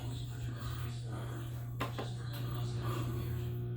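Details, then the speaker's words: Samsung washer with 5E drain code, on spin-only: low steady hum from the drain pump with no water flow or spin, the pump straining and stuck; drain pump locked up. "oh i can hear it drain's locked dream comes locked up it's locked up"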